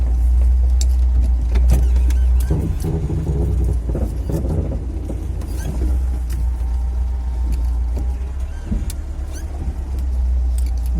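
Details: VAZ 2101-07 (Lada) creaking when steering at crawling speed into garage; rubbing, groaning creak over low idle, owner suspects worn ball joints.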